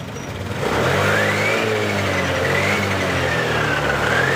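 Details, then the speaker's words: Honda Beat LED Deluxe scooter that had been cutting out with stored DTC code 7, restarted after clearing codes: engine catches and settles into a steady, even idle with no misses or surging; running normally; loose EOT sensor socket suspected and being fixed. "Oke, sudah normal."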